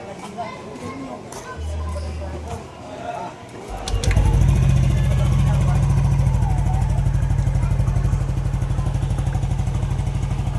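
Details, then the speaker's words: Yamaha NMAX V2 scooter that would not start with error 12, low battery (12.2 V); after stator refitted to crankcase and CKP and ECU connectors reconnected, engine catches after brief clatter and settles into an even idle around three pulses a second; normal idle. "Kitang-kita niyo naman na umandar na nga ito at hindi pa nga dito natatapos ang aking service."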